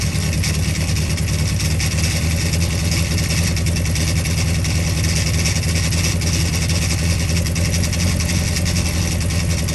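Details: Carter 998 engine running on the dyno under load, carb being set up, about 80 psi oil pressure. A loud, even, steady deep note with no knocking or misfire. Sounded sweet; normal running.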